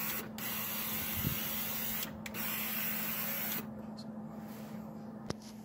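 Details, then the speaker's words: 2000 Ford Expedition power window motor: a rough, strained whirr that sags as the window jams and barely moves, then frees up, and the motor case gets very warm. Something is suspected to be binding inside the motor. Power window motor binding. "We've confirmed it started to go and then it jammed up. It barely goes. You can hear it. It's struggling."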